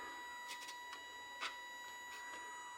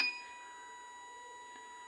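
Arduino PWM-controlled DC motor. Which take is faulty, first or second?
second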